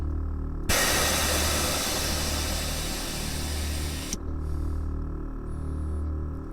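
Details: 1992 Ford Fox body Mustang 5.0 notchback with Airtekk stage 2 air ride, heard from the cab: loud steady rushing hiss for about three and a half seconds that cuts off sharply; bags venting normally as the car lowers.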